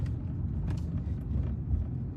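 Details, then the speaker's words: BMW E82 1 Series with a Bilstein B12 kit, after fitting Powerflex poly bushes to cure a rear knock, on the road: steady low road rumble with no knocks or clunks, only general interior rattles. "the only thing we got now is just the general rattles in the car the bottles of after shave down here that somebody's left in here not me"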